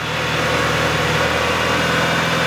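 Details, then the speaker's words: Mitsubishi EVO after work on its hunting idle, cold, about 1500 rpm: even, steady idle with a smooth low burble, quieter and no longer lumpy like a rally car from the exhaust; normal idle. "it's sounding a lot better already a lot smoother before at idle it would sound like a rally car from the exhaust it was like now it's like very smooth it's quieter as well"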